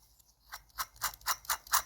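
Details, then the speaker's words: Crankshaft bearing of a 1964 Raleigh Runabout RM8 50cc two-stroke engine, spun by hand during strip-down, owner having noted lack of power and noisy crank bearings: gritty, raspy whiny pulses; worn crankshaft main bearing. "That's definitely a whiny noise. Good. Good. Good. At least [snorts] we know that we were right."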